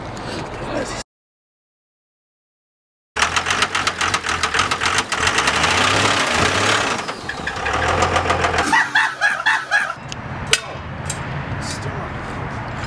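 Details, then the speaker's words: Blown-up Cummins 24-valve engine in a truck started for the camera: after cranking it catches and runs rough with a heavy knock about four times a second; engine knocking from internal damage. "they said they wanted to hear what a blown up 24 valve sounds like"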